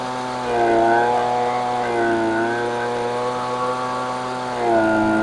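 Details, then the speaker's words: Husqvarna 125B leaf blower at wide-open throttle during carb high-speed mixture tuning: turning the screw richer makes it four-stroke and stumble, and leaning it out smooths it, going on-off as the screw is turned back and forth. "so hopefully you noticed and could hear that I was basically going on off on off on off as I went to the left and I riched it you could hear it for stroking and then when I went just to the right you could hear it going away again"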